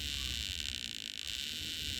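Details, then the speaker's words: Mid-1960s Fuji Cherry 3-inch tape recorder, broken speed controller: hissy fluttering high-pitched pulsing in audio output that changes with motor speed; suspected capacitor replaced without much difference, source unconfirmed. "right so that's the noise i'm trying to get rid of"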